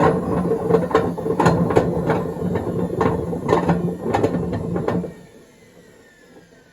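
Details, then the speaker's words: 2012 Beko WMD261 washing machine on spin and drain, pump drains fine: heavy rumbling roar with irregular knocking rattle during fast spin, dying as drum slows; worn drum bearings. "Pump runs, drains fine. But it sounds like it's washing some undissolved carbon tabs."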